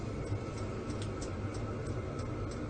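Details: Vevor diesel heater after 1 hour, building at −12 °C outside now 20–23 inside, engine oil 3 degrees: soft steady rumble with fuel pump ticks two or three a second. Running normally.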